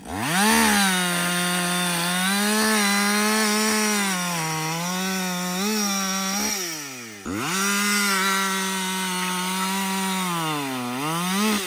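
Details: Husqvarna 562XP 60cc chainsaw, after a dealer reflash of its software for dying when hot and stumbling, bucking windfall about two-thirds of a tank in: strong high scream sags a little as the chain bites, recovers cleanly; normal under load.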